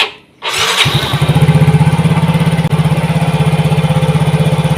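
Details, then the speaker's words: Yamaha Mio GT after injector replacement (old one dirty, clogged): starts at once and settles to a steady, even fast idle around 1900 rpm, injector duration 1.0 ms; normal start and idle. "Langsung enak kawan, dia berada di RPM 1900."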